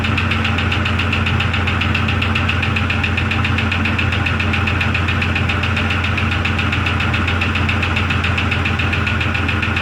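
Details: 2002 Jeep Grand Cherokee Laredo running better after PCV valve, hose and brake check valve replacement, briefly run and hot. Steady low drone at idle with an even light knock, roughly two per second; cause unknown.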